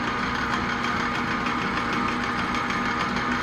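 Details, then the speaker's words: Machine cutting with oil on a Land Pride finish mower deck wheel hub, carriage locked; steady strained drone with hard whine under the cut, never easing; machine labouring and complaining under heavy cutting load. "now this is where my machine does not appreciate this at all I mean seriously it complains I've broken tools because of"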